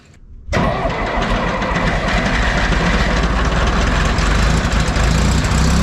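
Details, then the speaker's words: John Deere 1010 tractor diesel, warmed up after engine rebuild, before test drive: engine sputters and runs rough, occasionally missing; adjusting the injection pump smooths it out. "so you might be able to hear the engine is kind of sputtering right now almost like it's missing occasionally and as I work on this pump that goes away"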